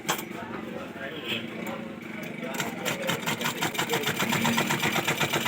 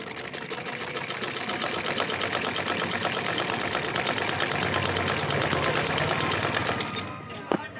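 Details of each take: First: Sewing machine running before repair, repeatedly breaking needles and thread; fast even clicking with hard metallic ticks as the needle breaks. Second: Sewing machine after needle bar timing adjusted and nut tightened, fixing repeated needle breaking; fast, even stitching clatter with no snaps or hard knocks before stopping; sewing cleanly.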